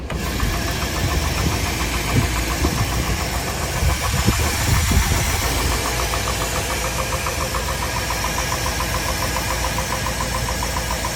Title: K1500 Piston slap, crank bearing?